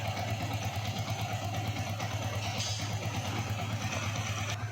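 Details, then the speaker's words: Yamaha Vixion 150cc after rebuild (worn cam chain tensioner replaced, new block, valve seals replaced; previously rough): steady even idle with a low pulse about three beats a second, no knocking or rattle; smooth and healthy. "sini juga sudah halus. Ini khas Vixion ya, suaranya memang seperti ini."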